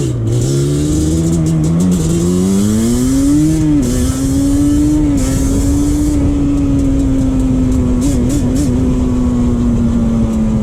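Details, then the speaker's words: 2001 Yamaha Banshee 350 two-stroke on a POV ride after new clamps fixed an exhaust leak. Crisp buzz climbs smoothly through the revs and settles steady, with no puffing or ticking. More power is felt; normal running with a sealed exhaust. "once i put those clamps on and the bike didn't have an exhaust stick no more it rip it really rips now the bike really picks up now and you can actually feel uh more power on the bike"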